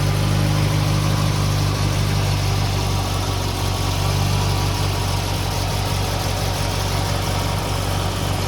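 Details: Restored 1969 Datsun 2000 roadster, 2.0 liter engine, cold start with engine not hot: steady low rumbling idle, even and unbroken with no misses or knocks. Normal cold idle.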